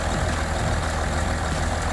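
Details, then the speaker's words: Range Rover Sport diesel restarted after running out of fuel, with low battery and fault codes cleared; even, steady idle clatter with no misses, normal idle. "starts oh she's all working she's working beautifully"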